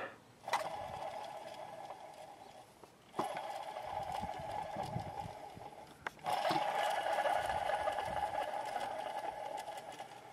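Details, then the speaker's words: Removed alternator from 1999–2002 Honda Accord V6, spun by hand: three rough, gritty whirrs fading as the pulley slows; worn bearing, replaced with a quiet new alternator. "Yeah, it's time for a new alternator when that starts happening."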